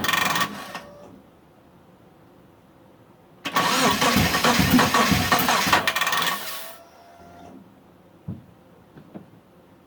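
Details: Mitsubishi Eclipse after about 8.5 years sitting, fuel pump reconnected, spark and fuel confirmed, timing set, weak battery on charger: about three seconds of steady cranking that never catches, crank no start; owner suspects the crank position sensor, plans vacuum test.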